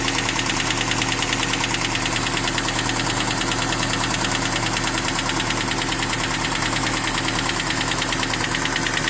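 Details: 1992 Toyota Hilux with 22R engine at idle: fast, light ticking about twice a second from the top end; cause not yet pinned down.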